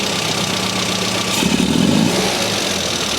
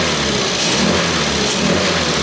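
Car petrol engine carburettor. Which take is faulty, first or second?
first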